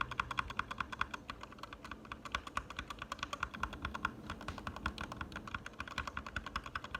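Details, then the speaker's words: Gateron Red linear switches lubed with Krytox 205 G0, typed on: steady, soft, even clacks with no scratch or ping, feeling and sounding better than unlubed. "And it feels better, sounds better."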